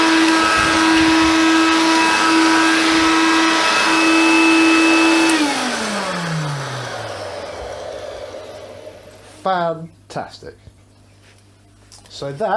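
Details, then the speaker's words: Hoover Convertible/Dial-A-Matic U1124A upright vacuum, after servicing; steady high motor whine holding even pitch about five seconds, then smooth wind-down. Judged very good, better than the Concept. Normal running. "what I would call very good the fact I must say it grooves slightly better than the concept"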